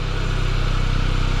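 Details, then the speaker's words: 2002 Pontiac Sunfire, off the road since 2011, running after fuel pump replacement: steady low idle with a fast, even pulsing throb that isn't improving; owner suspects missing lubrication after long storage, cause unknown. "that noise is just not getting any better i'm thinking about missing some like lubrication up in that mug i really don't know what that is"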